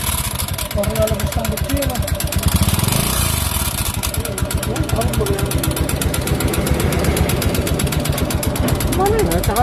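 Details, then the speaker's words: Honda Beat FI scooter that suddenly became noisy: a steady loud ticking knock, about four per second, rides over the idle and never fades. Internal engine knock, cause not yet found. "Okay, so ito yung tunog ng makina ng ating unit na dinating dito sa atin ng ating customer all the way from Laguna."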